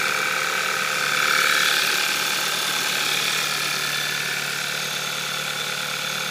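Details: VW Scirocco 2.0 TSI DSG, 02/2012, 9,800 km, cold idle: light, fast, even ticking about three or four a second over a quiet hum; owner unsure if normal, source unclear.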